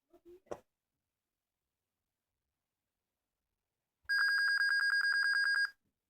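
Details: Dell Inspiron 1545 laptop fails to start, giving a single high, warbling beep lasting about a second and a half at power-on with no boot; cause unknown.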